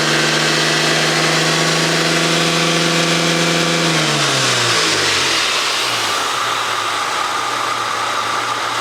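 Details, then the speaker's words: 1993 Rover 220 coupe, T-series engine, after head gasket and timing belt change, previously parked after heavy smoke: held at steady high revs then winds down smoothly to idle, no misses or knocks; running nicely, road test pending. Normal revving. "that is running nicely I'm I'm actually pretty happy with that"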